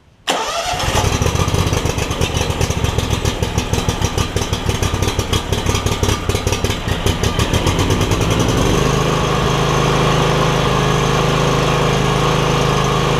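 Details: John Deere X300 mower with no spark and a suspected bad control module; a black wire was pulled to bypass it. Engine cranks briefly, catches slightly hesitantly (a little sticky), then settles into a steady, even, smooth idle: normal start and idle.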